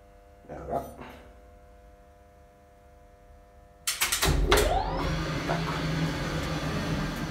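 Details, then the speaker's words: 1962 DAKA elevator (1986 modernisation) after all four diodes were replaced: a click, then the motor spins up smoothly into an even steady hum with no grinding or clunks; normal start. "Now it works as it suppose to."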